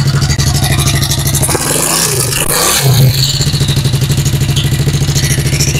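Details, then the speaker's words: Yamaha Sniper 135 single-cylinder motorcycle upgraded to a 65mm bore kit, kick-started in neutral: loud harsh knocking clatter over the idle, rising briefly with a rev, running but extremely noisy. "dinara nila dito na ah umaandar nga pero sobrang ingay napakaingay kung Literal na ingay maingay talaga"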